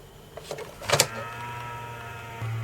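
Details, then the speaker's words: Cheap yellow dehumidifier, not extracting water, opened for repair with two micro switches: switch clicks, then a small fan motor hums up to a steady whir; fan running freely. "Look, you see it come on there. And I can hear the fan when I do that."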